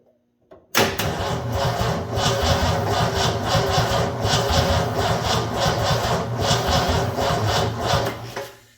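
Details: 1984 Ford F250 Bullnose 460: about nine seconds of uneven, rhythmic cranking that never catches or fires while checking for spark; owner is unsure whether the cause is fuel or something else.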